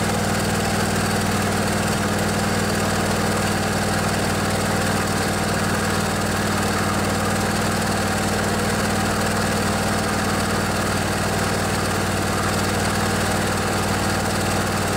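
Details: Craftsman DYS 4500 riding mower with a Briggs & Stratton 24 hp twin-cylinder Intek engine, revived after outdoor storage. With the fuel tank cleaned and refilled and the carburetor refilled, it holds a smooth, constant-speed hum with no sputtering, surging or knocks. Normal running.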